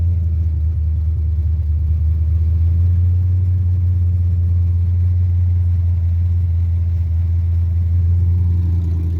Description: starts and dies/ fast idle/ carburetor 5.3 ls swap mustang